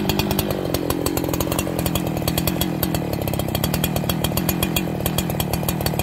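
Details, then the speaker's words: Farmertec 288XP kit chainsaw, first cuts after assembly, with an aftermarket carburetor and the decomp valve sticking: coarse, uneven buzz that won't clean up to crisp revs; bogging under load from fuel starvation through a kinked fuel line. "we have another bad aftermarket carburetor"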